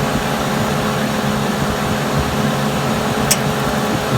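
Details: Suburban propane furnace after a fix for not coming on, thermostat calling for heat: a steady, even blower roar over a low burner rumble, with no knocks or rattles. The burner lights with blue flame and runs normally.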